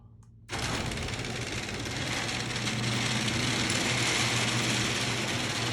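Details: Genie garage door opener after carriage/latch replacement, which fixed earlier grinding and failure to open: motor starts and runs with a steady, even chatter that builds slightly as the door travels, with no grinding or skipping. Normal operation.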